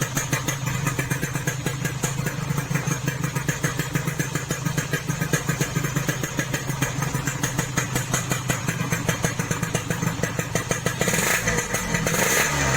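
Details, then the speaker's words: Yamaha RX King two-stroke after reboring, which cured excessive piston clearance and the previous harsh rattle: even, quick popping idle with a steady rhythm and no rattle or scraping; now noticeably smoother, normal idle. "Ini lebih halus ya bro suaranya bro, ketimbang yang sebelumnya. Ini yang kemarin yang sebelum dipuring kasar sekali bunyinya bro."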